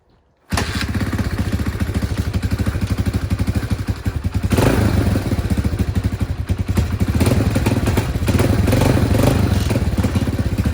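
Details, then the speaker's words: 1984 Honda XL200R single, sat about two weeks, started with the choke pulled out: fires at once and settles into a quick, even thump of about four a second; normal idle on choke. "pulled the choke out yeah you can hear it run runs pretty good"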